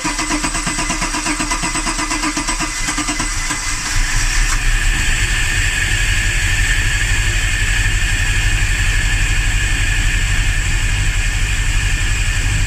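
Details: Several seconds of rhythmic cranking before it finally catches and idles; fuel pressure checked good, owner suspects spark or timing; hard start, extended cranking.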